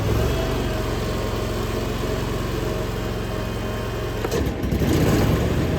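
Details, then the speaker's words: Hustler FastTrack SDX mower: steady engine drone, brief dip, then a fuller roar as the blades engage; engine takes the load normally. "six blades spinning instead of three blade spinning creates a lot more Force it's a lot more air flow so it's sucking a lot more air up and it's blowing a lot more air out"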